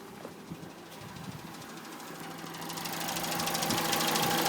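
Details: 2006 Citroën C2 VTS engine making a horrible tapping noise: fast, even tapping about three per second over a light idle, top-end tap of unknown cause.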